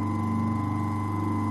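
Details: Old Century repulsion-start electric motor after rebuild and armature shimming: steady, clean hum at an even pitch with no rattle or throb; normal running.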